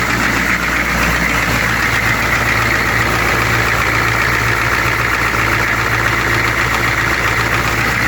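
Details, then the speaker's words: 1995 Georgie Boy Swinger 32ft American diesel motorhome at idle: even, steady diesel clatter with no hunting or misfire, sounds healthy; still needs a test drive to confirm it runs right, fuel sender needs sorting. "So again, it's just got to go for a test drive to make sure that it's running right, but it should be."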